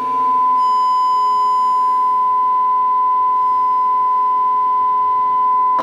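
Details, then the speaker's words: Amplifier load test with a speaker as a monitor, steady pure test tone with no crackle or distortion, then cut off; a clean signal. "entonces pues ahí vamos y yo soy en la distorsión ahí está limpia la señal vamos con el otro"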